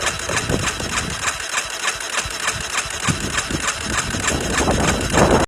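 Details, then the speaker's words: Yamaha Warrior quad with Chinese aftermarket carb, cranked on jump pack: long steady cranking under two strokes a second that never catches; little airbox suction, owner suspects tight valves; hard starting. "I almost think the valves might be tight on this thing because when I put my hand over the air box to try to prime that fuel, I'm not getting a lot of suction."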